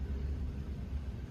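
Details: 2010 Lexus CT200h hybrid (Prius engine), deep uneven rumble with lumpy low pulse, knocking and vibrating; burned spark plugs and coils found as the cause.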